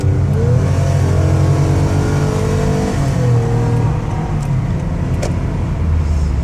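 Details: 2014 Toyota Sienna L wheelchair van, 60,000 miles, test drive with AC turned down: engine note climbs and drops cleanly through each shift, no knocks or whine over road noise; engine and transmission healthy.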